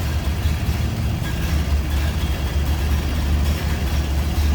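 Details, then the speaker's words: 1929 Ford Model A coupe: deep, steady, even four-cylinder rumble at idle with no knocks or misses; smooth and healthy. "Sounds like a Model A. Giving you an idea how it sounds."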